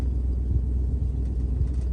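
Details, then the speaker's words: 1966 Ford Thunderbird driving on the road after refurbishment, with new shocks and bushings: low, even road rumble over bumps with no knocks or rattles; an exhaust leak is noted and a front squeak remains. "we're on the road she sounds good we're hitting bumps we're not hearing nasty rattles that's good"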